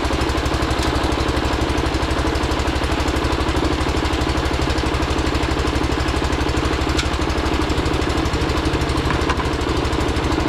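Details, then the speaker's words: John Deere 212 garden tractor with an electric fuel pump, after installing a new solenoid: fast, steady chugging beat with a slightly ragged edge at first; a little unhappy but started and keeps running on its own. "Yeah, buddy. She's a little unhappy, but she started"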